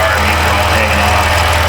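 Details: 2010 Dodge Grand Caravan 3.3 that had been bogging and stalling, idling evenly after the computer was replaced with a junkyard unit. Plug wires are still hanging loose and the engine is not yet fully warmed up.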